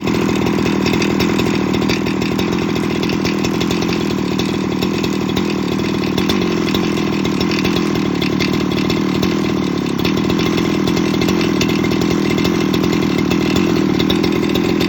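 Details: Very old, well-used Husqvarna 395XP chainsaw running steadily with a harsh metallic rattle through the engine note; owner suspects big end rod bearing failure, not confirmed.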